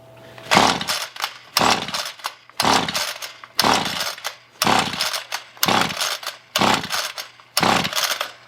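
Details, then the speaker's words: Roadside Ryobi two-stroke string trimmer after carburetor cleaning, choke on: about one recoil pull per second, eight rasping pulls without a single pop; won't fire, plug removed for spark test. "right so somewhere between cleaning the carburetor and trying to start it up I have no fire anymore"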